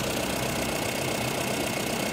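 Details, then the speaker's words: Mahindra Bolero Camper 4x4 pickup diesel, code P01940C, engine light and sudden power loss: harsh, uneven idle clatter under steady hiss; EGR cooler line fully blocked with hardened carbon, EGR valve badly fouled, a part broken. "यह इतना अधिक जमा हो गया है कि plastic में बदल गया है। यह देखो। यह देखो। यह देखो। यह लाइन पूरी तरह से अवरुद्ध है।"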